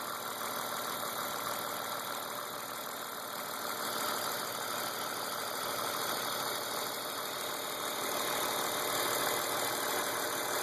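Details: BMW E36 328i M52, 175,000 km, M50 intake, M3 EU headers and exhaust, runs strong: steady light tick at idle about three per second; persists after replacing cam/crank sensors, injectors, lifters, chain tensioners, upper chain, VANOS seal, oil; oil/fuel pressure, cam clearance checked.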